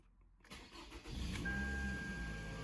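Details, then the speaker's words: Toyota Camry with P0171 lean code and intermittent no-start/cut-out: first crank after replacing the fuel pump and PCV hose gives a brief crank, quick catch and smooth steady idle. A clean start; the fuel pump appears to have been the fault. "that was very good all right so seems like we have probably resolved the issue in fact i would say hundred percent that was the issue"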